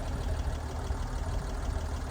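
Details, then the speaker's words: Restored classic car started on a small battery and left to warm up: a low, steady rumble with an even beat and no knocks or misses, a smooth, healthy warm-up idle. "She's sounding good."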